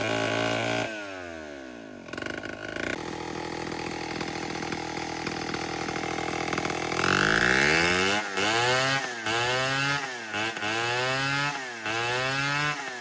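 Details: Vintage Homelite 7-19 two-stroke chainsaw (late 1950s/early 60s) after carb cleaning, diaphragm still worn: steady idle, picks up cleanly on repeated throttle blips and drops back smoothly; runs pretty well for its age.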